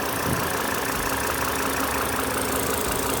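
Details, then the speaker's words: Volvo XC90 petrol engine idling smoothly with no hiss after replacing old, hardened, shrunken fuel injector O-rings that had caused a hissing vacuum leak. "No more hissing sound."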